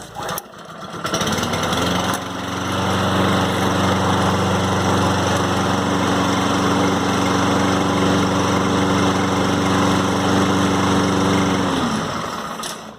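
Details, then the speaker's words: Lawn Boy push mower with Kohler engine that wouldn't start after running out of gas, after removing carburetor and cleaning debris from main jet: starts after brief pull, holds smooth even steady drone until shutdown; normal running. "and if we did everything correctly put everything back together and cleaned out that carburetor like you thought start up on the first second"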